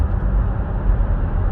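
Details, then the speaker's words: 2017 Buick Enclave, 130,000 km, after rear wheel bearing replacement for a rear hum at cruising speeds: only a steady low road rumble while cruising, no hum and no warning lights; normal quiet cruise. "no more hum no warning lights on"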